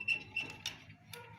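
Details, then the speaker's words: Rear wheel turning with sharp, light ticks about every third of a second because the spokes are all loose; the wheel has no spoke cross and no reinforcement. "porque los rayos están todos flojos"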